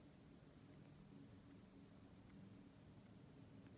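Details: On-X mechanical aortic valve one month after replacement surgery, phone held near chest: faint sharp ticks evenly spaced about 78 a minute over quiet room; normal mechanical heart valve ticking.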